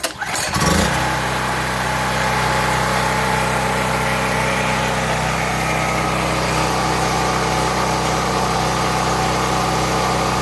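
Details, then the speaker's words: Small generator after carburetor cleaning and idle adjustment to cure surging starts and runs at a steady, even speed with no surging, then shuts down; works much better. "It works much better. It really did help."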